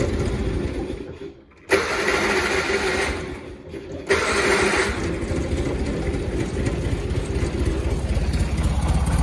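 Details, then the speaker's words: John Deere 317 lawn tractor (year unknown), unchoked, engine a little cold: catches after a brief dropout and settles into a steady, slightly uneven low chug; normal cold running. "There it goes. It's a little bit cold."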